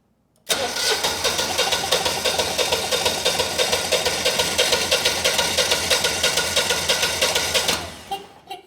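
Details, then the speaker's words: Generac 20kW standby generator, GTH-999 999cc engine, glitter in oil, no fuel connected: starter spins engine evenly about seven seconds via manual button with no binding or stalling; engine turns freely, not seized. "What I'm most interested in is, you know, will the engine crank, you know, or is the engine locked up? So, there is no fuel connected right now. So, let's hit the manual button. See if the engine turns over."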